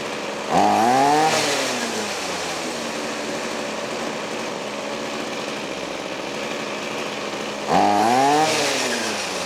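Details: Trash-picked Ryobi 25cc two-stroke string trimmer after fuel line repair fires up, revs cleanly twice with steady buzzing idle between; runs smooth and strong, healthy.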